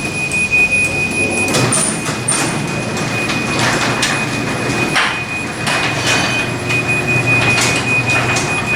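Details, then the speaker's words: Garage door opener closing via phone app: high repeating warning beep over the rumble and rattle of the moving door, the normal remote-close alert. "so i love it when it does that when it beats like that it reminds me of elevator doors that beep"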